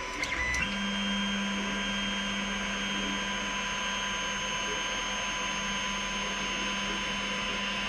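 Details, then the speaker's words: Creality Ender 3 Pro on stock non-silent mainboard homing axes: steady low drone with high stepper whine over fans; replaced by silent 4.2.7 board, which runs quiet. "we'll show you what this one sounds like when you home it because this is what the other the ender 3 pro just used to sound like"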